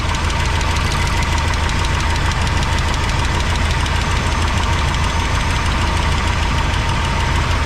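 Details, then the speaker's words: 1985 GMC C25 during valve check, running: fast tick about three per second over loud rough idle; valve train ticking suspected, not confirmed. "They all got oil. I hear the clicking over here."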